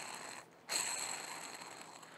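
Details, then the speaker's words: Mercruiser 120hp sterndrive out drive on a 1967 Starcraft, removed bearing spun by hand: dry, gritty purr with a faint high ring from a worn, rough bearing; it was replaced with a new one. "That's the bearing that sits right here when you assemble this."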